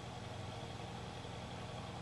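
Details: Honda motorcycle multi-carburettor engine at idle after pilot screw mixture adjustment (turned in until 50 rpm drop, then out one turn): steady, even idle with no misses, hunting or knocks; normal idle.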